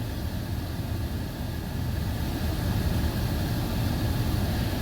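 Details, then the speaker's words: 2016 Hyundai Sonata Hybrid after cabin air filter replacement, engine running, AC cranked to max: steady, even blower air rush with no flapping, ticking or whistling; fan normal, no debris. "no weird noises, so I don't have any kind of like card in the bike spoke noises or like a floppy leaf noise in there and stuff like that. There's also no weird whistles, which can happen if something's not quite tight."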